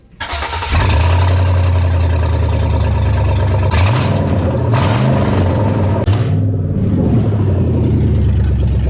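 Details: 4.8L LS V8 in a totaled Chevy Silverado, ~100,000 miles, with one catalytic converter still on and open headers: loud, deep V8 fires quickly and holds a steady, rough-edged lope with clean throttle blips; healthy.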